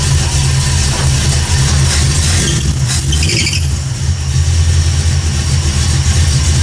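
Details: 1979 AMC Spirit AMX, carbureted AMC 304 V8 rebuilt about 20,000 miles ago, after a Carb Cheater install: steady low rumble holding an even pitch, no misses or knocks. Smooth idle.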